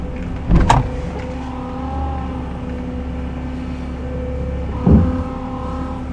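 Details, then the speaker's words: Honda Odyssey RB1, over 386,000 km, engine idling: steady thin whine from the power steering pump, worse at full lock, may ease as it warms; fluid level fine, suspected air leak at lower hose connection. "the noise is worse as the steering wheel turns to full lock the biggest tail tail is whining if you are by yourself and you still hear whining it may be the car The Whining is present with the engine noise whining May decrease as the car warms up"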